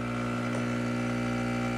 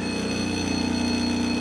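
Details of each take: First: Profitec Pro 600 espresso machine: a steady, even pump buzz that cuts off, leaving drips and clicks. Quieter than the Expobar Brewtus IV; normal vibration-pump operation. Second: Vibration pump on a Profitec Pro 600 or Expobar Brewtus IV espresso machine during a pump noise comparison gives a steady, fairly loud buzz with a fast rattle as it shakes a glass resting against the machine; the Pro 600's pump is described as quieter and more muted.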